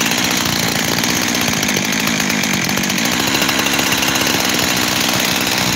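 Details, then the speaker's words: Freshly rebuilt 372 X-Torq saw has a buzzy, wavering, lean idle that hunts. The base gasket was sealed with 1184 and seems fine, but spraying the cover almost kills the engine, so the owner suspects an air leak at that cover. "I can almost kill it by spraying on that cover there. I think it's the cover. I do."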